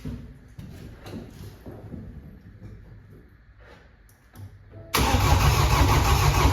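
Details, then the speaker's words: Flooded BMW F20 diesel, engine rebuilt after a crushed con rod and no compression, fuel primed through the injector ports; DPF not attached, water still in the intercooler. A few cranks, then a steady, even idle with no knocking. Normal start and idle. "one cor Road was crushed no compression the whole engine was a mess and now it's it's running"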